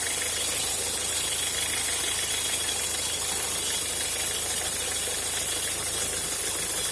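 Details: Peugeot Partner 1.6 running: faint, loosely regular ticking over a thin high hiss; strange noise, source unclear.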